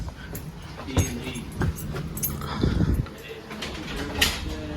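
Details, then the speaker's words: Skylink ATR-1723BKW belt-drive garage door opener on a new CHI 2283 8x7 door, trolley lowered to reconnect after running on temporary power: steady low motor hum, a couple of clunks as it reconnects, then an even, smooth run; operating normally. "And then it just reconnected. You hear it going smooth."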